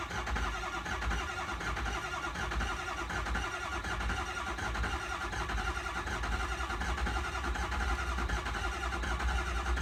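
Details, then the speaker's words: 6.0 Powerstroke diesel after new high-pressure oil pump, IPR valve, oil cooler and used turbo, first start: starter churns ten seconds without catching; expected long crank while oil pressure builds. "these things take a second to build oil pressure so it's going to take a minute to crank"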